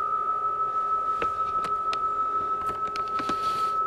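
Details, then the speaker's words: Homebuilt JFET (J310) Hartley oscillator VFO, extremely vibration sensitive; tapping its springy coil with a sharpie makes the steady whistle tone wobble in pitch with each hit, the loose coil shifting the frequency. "I'm gonna go up and I'm gonna just tap the coil of the Hartley oscillator with my sharpie because it's a spring"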